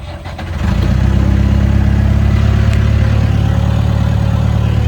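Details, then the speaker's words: Old Caterpillar 416 Series II backhoe diesel, started after charging the battery and tightening a loose connection: catches within a second and settles into a steady, even low rumble with no knocks; healthy engine start. "Well, it actually runs. Fired right up."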